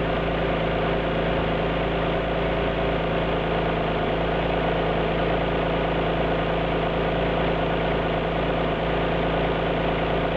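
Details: Alfa Romeo GT V6 at idle: a lumpy, uneven pulse under the steady drone, with an occasional stumble; a misfire at idle.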